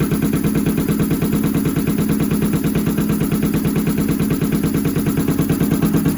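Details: Honda CX500 twin on Mikuni carbs: lumpy, loping beat about three pulses a second with a regular stumble instead of a smooth twin rhythm. Right cylinder misfiring, cause suspected, not confirmed.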